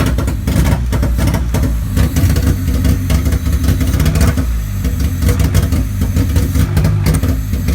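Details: Honda Civic D15B2 after MPFI conversion idles roughly and unevenly, stumbling as cylinders misfire; hard to start, won't accelerate, timing belt correct, only ECU code 20 (electrical load).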